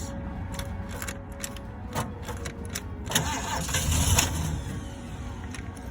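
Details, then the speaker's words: 1975 Ford E100 van, gravity-fed fuel, battery at 12.14 V, alternator suspected not charging (wiring or alternator); cranks briefly, catches and settles into a steady low idle with no knocks or misses; engine healthy. "man am I happy to hear that I tel"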